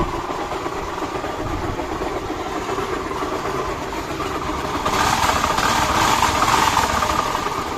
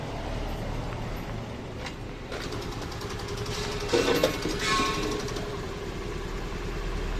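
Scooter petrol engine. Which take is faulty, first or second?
first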